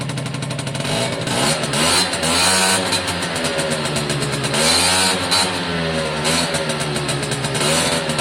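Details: Suzuki AP50 two-stroke after carb clean, air box fitted, revved by hand at carb (throttle cable unconnected) through quarter, half and full: crisp revs rise and fall cleanly without bogging; smooth revving once choke sorted out.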